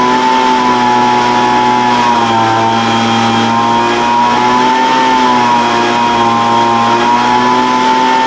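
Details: Older Craftsman 200mph two-stroke blower, sat unknown time, restarted after the high-speed mixture was opened slightly: high screaming buzz at full throttle, pitch sagging and surging every couple of seconds. High-speed mixture hunting; carburetor acting funny after sitting.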